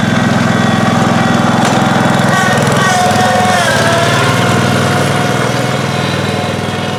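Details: 1971 John Deere 140H3, Kohler K321 single-cylinder, after carburetor rebuild and new float fixed fuel pouring from carb: even, steady thump with smooth unbroken note, no stumbles or surging; normal running.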